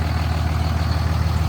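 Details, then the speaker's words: 2006 Ram 3500 3rd-gen Cummins diesel on the NRE EFI Live tune 3 (12-valve tune), which disables pilot injection: a deep idle with a coarse, clattery second-gen-style combustion rattle on every firing. "So this one gets rid of the pilot injection event. I'm going to throw in a sound clip right here."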